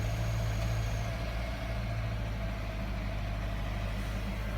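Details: 2015 Subaru Forester 2.0XT on cold start: low, lumpy idle with an uneven stumble every few beats, repeated misfiring.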